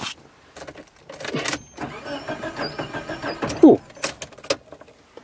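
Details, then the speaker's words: Engine with a Jaycar/Silicon Chip ignition timing module driving a 1970s CDI box, cranking. Labored cranking with irregular kickback thumps; owner says the timing is too advanced and tries inverting the input. "a kickin that means it's too advanced"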